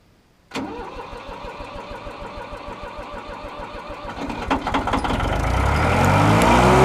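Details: 1988 Yanmar 336D diesel tractor, unrun for six years, in neutral: a short crank, then it fires and clatters into a steady idle before picking up revs. Normal start.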